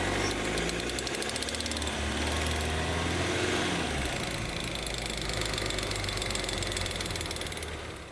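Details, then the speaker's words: AWD Mercedes Sprinter van driving: rapid, fairly regular clicking over engine and road noise, most likely from the failing front prop shaft joint (Jeppa joint), common even on brand-new driveshafts, at rotational speed. "This is, of course, a brand new shaft from Mercedes, but these things are kind of notorious for making that clicking noise at rotational speed."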